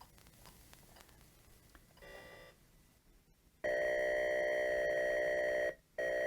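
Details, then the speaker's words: Atari 410 cassette recorder on an Atari 400 with BASIC cartridge, loading a tape via CLOAD, played audibly through the TV: steady two-tone data warble with a brief dropout; normal cassette data loading tones. "that's what the Ataris would do they would play the data being transferred audibly over to your your TV so you can hear it load"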